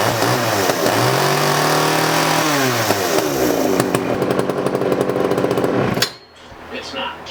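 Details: 1981 Poulan Counter Vibe 4000 chainsaw test run after ignition module cleaning and reassembly: crisp two-stroke buzz revs up and falls back evenly several times, then cuts off cleanly; saw runs properly.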